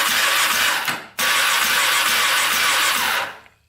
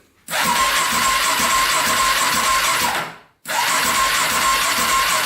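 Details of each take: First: 2004 Polaris Predator 500 quad that wouldn't start, cranked on the starter with a compression gauge fitted and the carburetor open. Spark is good. It spins fast and evenly with a light, hissy crank; the gauge reads zero compression. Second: Cheap Polaris Predator 500 quad: two cranking bursts of about three seconds each, with even starter whine and steady turnover but no catch. The starter spins freely; compression not yet tested. Normal starter cranking.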